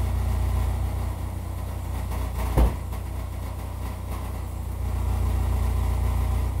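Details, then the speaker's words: GM Equinox with a seven-year-old muffler at idle: a loud, raspy low rumble with a puffing exhaust note. The exhaust is leaking from a split resonator muffler seam; it was later replaced with a small two-chamber muffler. "so apparently this is what a seven-year-old gm muffler sounds like let's see if we can do better okay so got the oil changed in it got uh the exhaust patched up uh the resonator muffler uh had split the seam"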